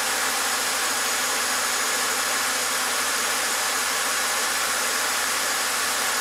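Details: 2007 BMW X5 engine after fixing electric water pump fault (cooling fan had been running full speed): steady, even hiss-like idle with no knocks, ticks or surging; no fault code returning, pump current steadier.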